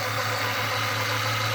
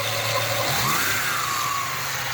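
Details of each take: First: 1996 Mustang with an intermittent battery light, idling after the alternator was swapped, battery low and charging: an even, steady idle with a light hiss and no whine or grinding, battery light out, alternator sounds fine. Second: 1996 Ford Mustang with intermittent blinking battery light at low idle rpm: engine idles with a thin, high whistle that rises and wavers; owner suspects a failing alternator bearing rather than the pulley, causing weak or intermittent charging; not confirmed.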